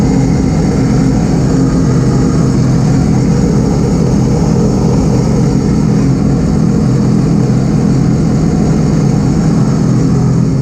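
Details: 2018 Sea-Doo RXP-X 300 idling on its first start after a Riva Racing power filter intake install: a deep, steady, even drone with no ticking or exhaust leak hiss; healthy.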